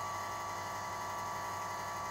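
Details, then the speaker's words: Runxin F65P3 volume-controlled water softener valve at power-up entering automatic flush: a quiet, steady whir with a thin high tone and no stutter or grinding. The valve drive motor is running normally. "then it's starting to automatic flush as you can hear the motor is running"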